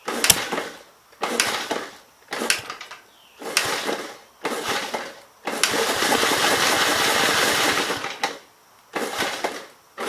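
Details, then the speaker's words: 1951 Gravely Model L 6746 single with a Wico magneto and missing fuel bowl, air intake head off: short sputtering runs that die repeatedly; the owner thinks it is flooded. "so pretty sure it's flooded right now i took the air cleaner the air intake head is off to see what that does"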